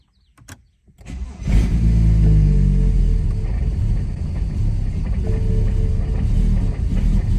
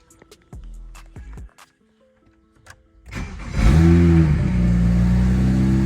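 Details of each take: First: BMW 335i N54 single turbo, tuned for E30 without port injection or B58 coils, with E85 in tank: cold start, starter cranks about a second then catches into heavy, uneven, lumpy idle; rough cold start from fuel-tune mismatch. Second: BMW 335i N54 single turbo after flashing an E85 tune, started on E85, coolant around 79: a few clicks, catches at once, brief flare then smooth, steady idle; normal start and idle, much better than before.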